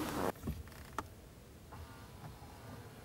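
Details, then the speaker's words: Newly installed blend door actuator, in the driver's footwell of a 2010 Chrysler Sebring Touring 2.4L, tested from full cold to full hot: a brief soft motor whirr with light clicks, then quiet; it is working normally. "that's all the way cold all the way hot and everything in between perfect"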